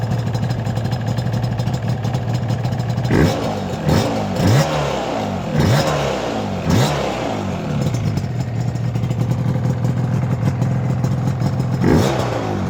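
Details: Yamaha R1-Z after top- and bottom-end engine overhaul: steady low burble at idle with quick clean revs returning smoothly, no knocks or clatter; engine sounds healthy.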